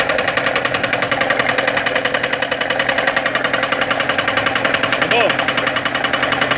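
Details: Chevrolet Corsa at idle: steady, fairly even ticking at about 3.5 per second over the idling engine; knock-type engine noise whose source is unclear.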